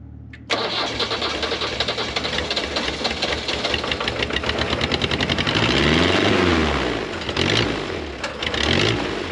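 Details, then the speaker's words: Nissan SD22 2.2L 4-cylinder diesel in an Oliver OC-3 crawler loader, first start with throttle at partial, no coolant: cranks, catches and settles into a fast, steady clatter with a couple of throttle swells; starts and runs fine. "now I have this set to partial throttle let's see what happens too close it wants to [Music] go oh we're almost"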